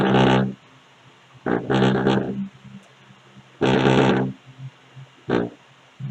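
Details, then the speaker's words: Speaker box at high volume: loud bass bursts with a harsh buzzing rattle from loose cabinet panels, not a faulty speaker driver; fixable at home. "e aí eu até à frente aqui o grave bateu tanto aí gente isso aqui é um probleminha que dá para você mesmo resolver em casa sem precisar levar para eletrônica"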